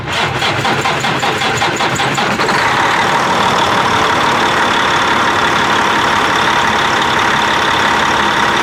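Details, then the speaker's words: Twin-turbo Cat C15 truck diesel after oil-leak repair with a new freeze plug, EGR cooler remounted and oil and filters pre-filled: two seconds of chugging crank, then it catches and settles into an even, steady idle with no misses or knocks; normal start. "Let's fire it up. If it doesn't immediately piss oil out, we're probably all right."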